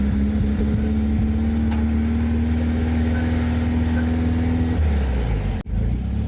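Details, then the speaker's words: VW sandrail dune buggy, unused for 18 months, after the split vacuum hose was replaced and clamped: even, steady low rumble with no misses, all four cylinders now firing and running really well. "very happy. It is running really well. 4 cylinders now firing, which is fantastic."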